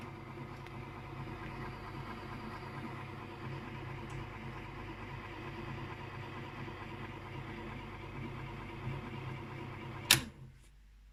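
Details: ADLER electric typewriter: steady low droning hum with a chugging, engine-like throb like a diesel locomotive or railcar, ending in a sharp clack at shut-off; unusual motor noise.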